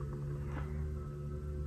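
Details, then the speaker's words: Tesla Model 3 with failing 12-volt battery, warnings appearing and unable to shift into drive: low steady electrical hum with faint higher tones; humming. "if you listen closely you can hear the humming so that is what i'm dealing with right now"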